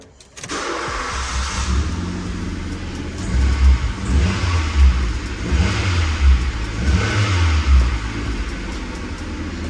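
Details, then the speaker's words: Skoda Fabia 1.2, high mileage, slight misfire needing coil packs, just fitted with a new exhaust and bracket: engine catches and settles into a steady, even cold idle, no puffing or ticking at exhaust joints; normal cold start idle. "actually know it's all right it's not Le it it's just cold [Music] start yeah no exhaust leaks there"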